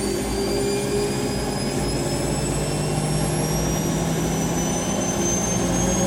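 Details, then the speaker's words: Rescued Siemens WH54080/07 Extraklasse XL 1000 washer, Cottons 90°C test load, final spin at 1,000 rpm: steady smooth rush with constant high motor whine, no thumping or rattle, quiet due to sound insulation, no vibration; normal. "that's it really quiet is padded with uh sound insation around it that's it 1,000 they're not the most exciting but was not but good and there's not really any vibration from that"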